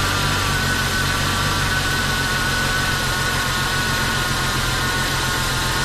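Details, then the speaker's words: Jeep Cherokee, dormant eight years, idling after an oil and fuel change: constant airy hiss and faint whistle over a steady idle. The owner attributes this to a couple of missing vacuum lines; the alternator charged above 13 V. "there's a couple vacuum lines like I said earlier that are missing that are making some weird noises but once I replace those I think it's like sixty dollars for a whole set"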